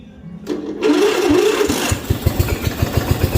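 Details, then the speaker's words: Yard Machine MTD ride-on mower, 12.5 hp Briggs & Stratton, 6-speed, found not running: starter whirr, engine catches briefly then firing slows and dies. "Oh, celebrated too early. Let's have another crack."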